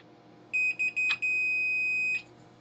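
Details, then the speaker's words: Multimeter continuity check on the board fuse of a Commodore 1571 disk drive that went pop, with a burnt mains filter found: a few short beeps, then one long steady tone; fuse has continuity and is good. "I can see a fuse on the board, so I'll just check that that's got continuity."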